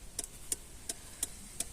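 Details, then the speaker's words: VW Passat B3 with ignition on, after repairing the turn-signal stalk switch whose poor contact caused crackling: crisp, even clicks about three per second with no crackle. "turn signal is working, it’s already working for us"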